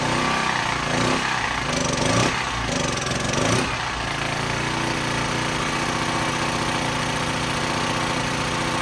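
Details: Cheaply bought unknown small generator with a slightly leaking carburetor, possibly running on old gas: engine runs rough with a hunting rise and fall for a few seconds before settling; surging as the governor reacts to fuel starvation.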